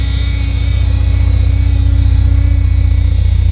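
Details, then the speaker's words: 1979 Porsche 924 after transaxle reinstall, fuel line replacement and new exhaust with muffler: deep loud pulsing throaty drone at steady idle, no exhaust leaks found; owner suspects a missing front damper part, cause unconfirmed. "There's what that sounds like. Pretty throaty. Don't know how to make that stop making noise."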